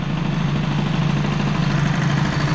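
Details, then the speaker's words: Stage6 65 two-stroke moped engine with a new piston, still a bit cold, at idle. A slow, lumpy burble with a heavy low pulse; idle is too low and rich, so the owner will lean the carburettor slightly. "ouis c'est bas et gras alors on remettre un non je vais appauvrir un petit peu petit poil"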